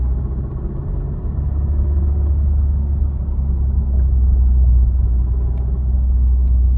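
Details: Honda FK8: deep low rumble with an uneven pulse about three or four times a second while the engine runs; weird noise of unclear source.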